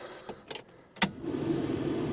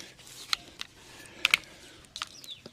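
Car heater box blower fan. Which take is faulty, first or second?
second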